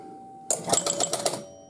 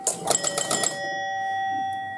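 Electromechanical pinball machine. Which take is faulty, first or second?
second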